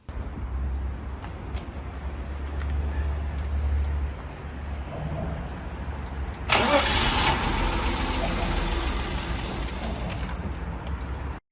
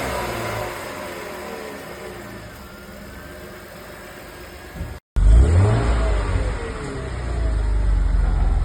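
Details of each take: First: BMW E34 revived after 15 years outside, first start after new fuel pump and service: cranking, then it catches with a sudden roar and dies within seconds; the intake boot to idle control valve hose was found disconnected. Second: BMW E34 with M50 engine revived after 15 years outside, running after a broken hose was taped: after a brief quiet spell it picks up strongly, deep note climbing cleanly on the revs and settling evenly; normal running and revving.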